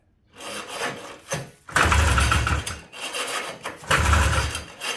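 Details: 1977 Ski-Doo Everest 440 snowmobile after a new fuel pump and recleaned carb, pull-started with a quick spray: it catches with loud barking bursts and dies each time, won't keep running as fuel isn't reaching the carb; owner suspects fouled plugs.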